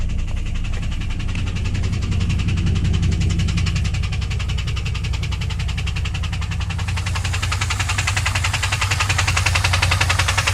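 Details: 2001 WS6 LS1 5.7L V8 idling after oil loss (pressure 30 to 0), refilled: fast light tick in time with engine over steady idle; first heard only at high rpm, cause unclear.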